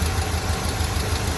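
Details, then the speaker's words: Square-body Chevy C30 Mason dump V8 after an under-hood fire melted the harness and carb, timing not yet set, warmed up before an oil change: deep, even idle at about six pulses a second, no knocks or misses. Normal idle. "sounds good we're going to get that fresh oil out of there now that we've ran it heated it up a little bit"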